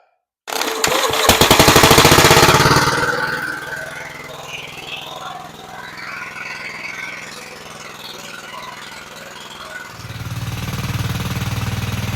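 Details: Vintage Gravely Model L garden tractor with Jenkins overhead-valve conversion, bought at estate auction, started choked after only cleaning points and adding gas: single cylinder fires to life with rapid even pops, settling into a steady putt near four a second; running cleanly.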